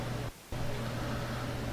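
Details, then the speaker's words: Mr. Heater Big Maxx natural-gas unit heater recorded with the microphone right next to the unit: after ignition, a steady loud fan rush with an even low hum. The blower is running normally. "so we're waiting now for the blower fan to come on the blower fan will come on in a second here"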